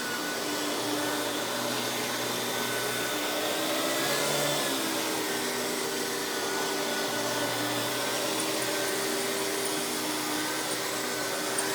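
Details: Hoover PowerMax Supreme 850 S3609 canister vacuum, 1990s, non-original hose, on high speed with power brush: steady, even motor roar with light brush whir on top, no rattles or surging; runs very smooth, not the quietest; normal running.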